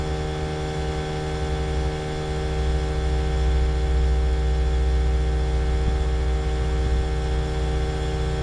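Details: Trane XV18 heat pump outdoor unit installed December 2021, loud steady low hum and drone with no pitch change, far louder than it should be; owner calls it a noisy lemon, cause unclear.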